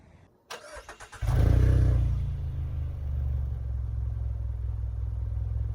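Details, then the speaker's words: 2022 Mazda CX-30 Carbon Edition with dual exhaust outlets, shown for its exhaust sound. A quick crank and clean catch with a brief flare settle into a smooth, even low idle with no ticks or knocks: a normal start and idle. "we're going to show you guys the exhaust sound in a second though"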